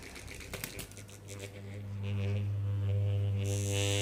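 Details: Noisy ceiling fan: handling clatter, then a steady low motor hum with evenly spaced overtones; cause unclear.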